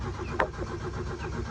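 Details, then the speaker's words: 1977 Toyota motorhome with a rebuilt engine that normally starts right up, dormant for an extended time, in neutral after one pump of gas. Quiet, steady cranking at about seven to eight beats a second with no firing; owner suspects flooding. "Nothing. So that's kind of what we're dealing with right now. It's kind of unfortunate because it is a relatively new motor."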